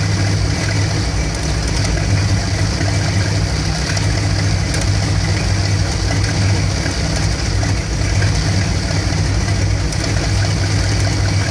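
A heavy low idle that stumbles and pulses unevenly instead of beating steadily: rough warm idle, cause not yet pinned down.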